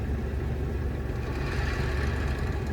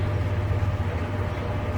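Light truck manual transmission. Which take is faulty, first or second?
first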